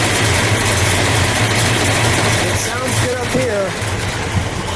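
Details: 1971 Oldsmobile 442 convertible, 455 CI V8 with Dual Gate automatic, restored with minor modifications, just fired up: a steady, even low burble at idle with a regular beat and no knocks or misses. A healthy V8 idle.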